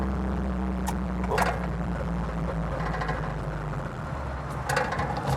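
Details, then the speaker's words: 1987 VW Polo Fox 1-litre petrol hatchback with aftermarket exhaust, running well after an idle fault; small engine pulls with a steady, even hum under road noise, no misses or knocks: normal running. "Ignore the exhaust. That's not That's an aftermarket exhaust. But the rest of it This is a fantastic daily driver."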